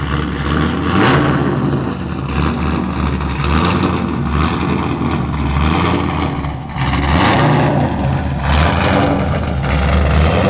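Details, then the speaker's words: Mazda FD RX-7 with rebuilt 2002 LS6 V8, Trick Flow cam, essentially straight-piped exhaust; loud, raw, unmuffled rumble rising and falling with revs, choppy from the cam, no knocks. Normal running, straight-pipe exhaust. "you probably won't be able to hear me speaking over the v8 essentially straight piped exhaust that's cammed out"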